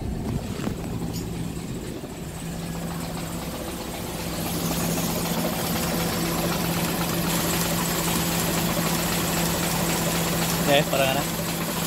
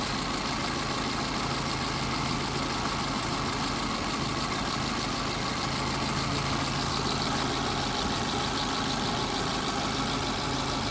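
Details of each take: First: Hyundai Getz petrol engine idling roughly with an uneven rattling knock from a loose crankshaft timing sprocket, also misfiring and lacking power; compression tested OK, sprocket to be welded. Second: Hyundai Getz after a general overhaul, with its damaged, loose sprocket fixed and compression at 120–130: a steady, even idle with a smooth low hum and no knock or misfire. The engine sounds healthy.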